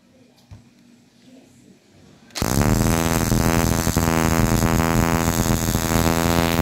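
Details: Toyota Corolla 2E distributor on the bench after sealing the pickup coil, 12 V fed via the condenser to the ignition coil, tester set to 30,000: after a quiet start, a fast, even crackling spark holds steady. Strong, regular spark.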